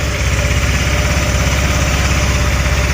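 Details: 1,567-mile GY6 150cc 157QMJ scooter engine idling just after a valve cover gasket replacement: a steady, even single-cylinder putter with no misses, knocks or rattles, and no leak. A normal idle.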